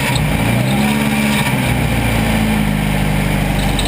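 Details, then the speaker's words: Crashed CRX4DR (CRX) started up on a cold day after sitting in a garage, with a fan that is damaged and doesn't spin evenly. A loud, steady drone with wavering low tones and an uneven undertone: the engine runs rough, as if about to break. "our [ __ ] still run she P like a kitten even though it sound like it's about to break"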